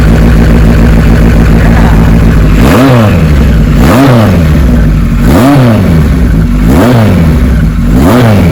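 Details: Restored 1974 Kawasaki Z1 900 with about a hundred miles since the build: a steady, even idle, then five quick throttle blips about a second apart, each rising and dropping back cleanly. Healthy engine.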